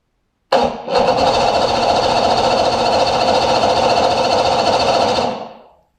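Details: Force 150 hp outboard that cranks but won't start despite decent compression and spark: the starter whirs it over steadily about five seconds without catching. Stator output peaked at only 52 volts, too low to spark; a sheared flywheel key was first suspected.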